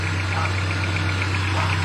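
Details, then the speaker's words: Honda Civic petrol engine, timing belt and tensioner just replaced, idling with a fast, even ticking clatter over the hum: noisy rocker arms/valves, likely a stock cam. "Ayan maingay po yung tunog ng balbula"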